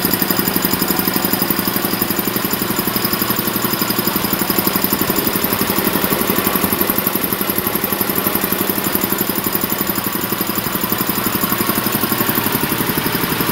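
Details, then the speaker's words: Champion VR5-8 80-gallon vertical air compressor, oil changed a couple of times, no problems reported: even, steady chugging of the pump at roughly a hundred beats a minute with no knocks or squeals; normal running. "basically that's the setup it's been running great changed oil a couple times no problems at all um i'm gonna turn it on here and let y'all hear it run"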